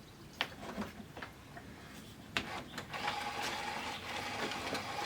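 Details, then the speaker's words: RCA CD stereo bought at auction, first power-up: irregular clicks and clunks then a steady mechanical whirr with a faint tone; disc changer suspected of checking for discs, not confirmed. "And it's making some pretty funky noises. That's probably the disc changer. Hopefully it's just going through and checking to see if there's any discs in it."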